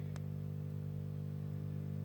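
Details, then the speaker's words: 1957–58 Philips Philetta BD274U tube radio during restoration, switched on after fitting an FM antenna modification: low, steady mains hum with no crackle, normal while tubes warm up before receiving; magic eye works but weak. "takes a few seconds for this thing to warm up before it starts receiving and the first thing it's going to start doing is start humming"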